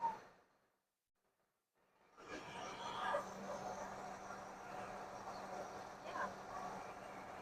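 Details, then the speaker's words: 1979 Lincoln Continental revived after sitting abandoned 32 years, idling after the smog pump belt was cut off: quiet, even idle with a soft steady hum and no ticking, squealing or belt noise; normal idle. "Should be no more noise now. Look at that. That is so quiet. Just like she was shut off yesterday, guys."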